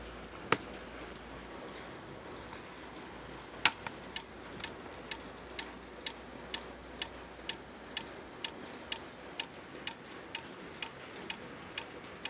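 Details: Corsair power supply making a loud clicking noise: sharp dry clicks about twice a second, steady and even over a faint hum; cause unknown.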